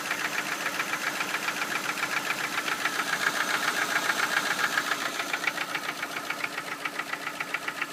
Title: Ford focus 1 split port 2.0 стук двигателя